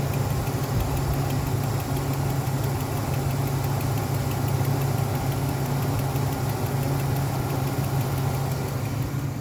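Fast, even light ticking rides over a steady idle with no speed change; a clicking source of unknown origin.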